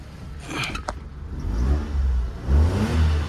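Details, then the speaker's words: Newly delivered 4x4 unit, throttle blips: engine picks up quickly and falls back cleanly, no delay; normal throttle response. "Yes, hindi delay. Ayos ba?"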